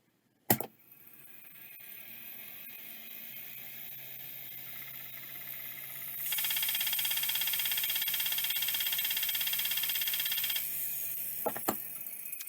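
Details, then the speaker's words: Mailbag hard drive powered up: a quiet spin-up hum, then a loud, steady high hiss with fast ticking. It is faulting and failing to spin up properly, although a later attempt worked. "yeah I don't think this is going to work usually adjusting the end stop does not work"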